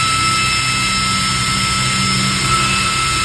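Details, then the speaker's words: High-speed 12V DC 3.30A brushless ball-bearing fan, running at its top rpm after a gradual soft start: a loud, constant airy rush with a steady high whistle, tens of thousands of rpm, with no wobble or scraping; normal but noisy. "Kebisingannya sendiri ini cukup bising pastinya ya, karena RPM-nya tinggi, berpuluh-puluh ribu, pastinya bising."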